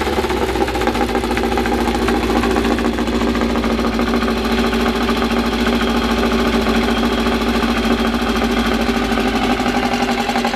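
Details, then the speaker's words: First start of a freshly built air-cooled 2054 flat-four on carburettors with no final exhaust fitted: loud, steady idle through an open exhaust with an even beat and no knocks; running cleanly, deafeningly loud. "bom eu acho que é o maior sensação que a gente está sentindo tanto eu quanto a bianca a carta já foi embora já já ficou doida é uma tontura por causa do barulho da vuvuzela é muito brutal"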